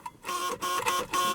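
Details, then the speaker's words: 1979/80 Mercedes-Benz 300 SD scrapyard diesel, just shut off after first run: steady high electronic buzz in three half-second bursts; door warning buzzer now working. "Well, it shuts off. Oh, the door buzzer's working now."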